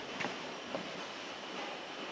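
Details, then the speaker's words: 2007 Toyota Camry 2AZ-FE 2.4 L four-cylinder, engine off during leak-down test: steady soft hiss of air heard at the intake; leaky valves on cylinder 1 suspected, not confirmed; air also felt from cylinder 2 and crankcase. "And I'm hearing a little bit on the intake. So we might have some leaky valves on number 1, but that's not anything I'm really worried about."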